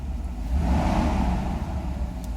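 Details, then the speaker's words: Mercedes V8, warmed up a little, idling about 700 rpm on a known-good E-gas throttle module: a smooth idle, then a quick blip rising and falling cleanly; acceleration fine, normal revving. "Acceleration is fine."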